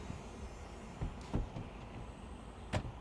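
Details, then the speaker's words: 2007 Audi A4 B7 cabriolet soft-top roof motor, mounted at the back of the car, running after repair; before the fix it made no sound at all. A low, steady hum with a few soft roof-mechanism clicks; healthy. "As you can see, you can hear it as well. It's running. There you go, just like that. No issues at all."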